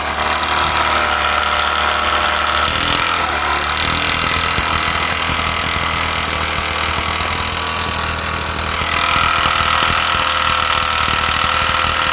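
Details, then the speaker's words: Honda CD70 motorcycle engine running with a dull, regular knock about four times a second under busy top-end clatter; worn connecting rod and bearings with play, to be replaced after engine teardown. "उसके बाद दोस्तों यह है connecting rod जिसकी ज्यादा आवाज थी जिसकी ज्यादा साउंड था डग डग का इसका साउंड था"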